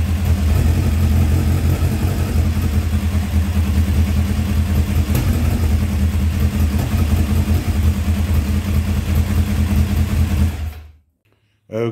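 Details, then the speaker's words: 1984 Kawasaki ZX900 four-cylinder first start after sitting 5-6 years: loud, uneven, lumpy stumbling run that never settles; sticking carburetor floats flood the engine, spitting raw fuel and flooding the cylinders. "so the carburetors are a mess um the floats are sticking i can tell it's flooding the engine out um it actually was spitting raw fuel out right here"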